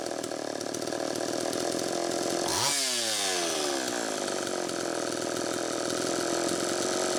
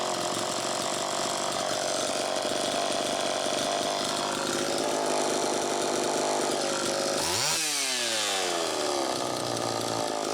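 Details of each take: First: Homelite Super EZ chainsaw after fixing lean air leak by tightening loose intake block/reed valve screws and sealing gaskets: high buzzing two-stroke note holding speed evenly at high revs, no surging or sputter. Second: Homelite Super EZ chainsaw after carburetor fix, high-speed needle reset to one turn from about four: thin steady scream at full revs, then sudden drop; still lean, crankshaft seal suspected bad.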